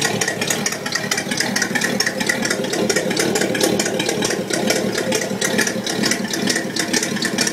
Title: '66 Wildcat engine exhaust leak Pt.2